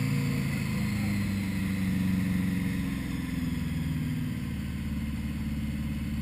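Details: 1980 Honda Goldwing GL1100 first start after carb rebuild fixing rich running: new idle screws set to 1-1/4 turns, floats set to 15.5mm; steady, even flat-four burble settling into idle, no misses or hunting.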